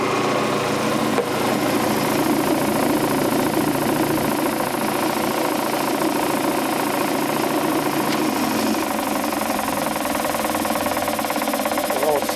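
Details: Quincy Model 325 air compressor pump, lower end rebuilt, on tank test run with newly mounted and wired starter; oil pressure 18–20 psi. Even, steady thumping rhythm with no knock or rattle at constant speed; normal compressor running.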